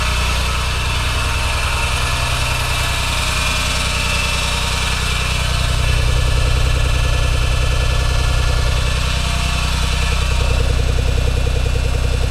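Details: Engine with good compression, correct timing and working VTC solenoids: a steady, fast rhythmic thrum about three and a half beats a second rides over a heavy idle — abnormal engine noise, cause undiagnosed.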